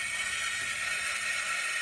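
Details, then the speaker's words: Toyota SC400 1UZ V8 on MegaSquirt, engine off, fuel pump run via MegaSquirt: loud steady rushing hiss and faint whine from the right-bank fuel rail return line, which vibrates strongly; owner suspects air in it. Seems to run out of fuel at high load despite new pump. "from what sounds like the return line it sounds like there's air in it or something really to me it's crazy"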